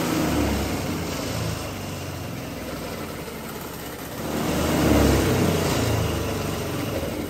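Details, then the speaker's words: Honda GX200-clone single-cylinder engine converted to run on 100% hydrogen gas, fitted to a go-kart and fed from a fresh hydrogen bottle, before water injection is added: runs steadily, revs up briefly, then settles smoothly with no misfire or backfire; normal running. "Okay, so that was running 100% hydrogen."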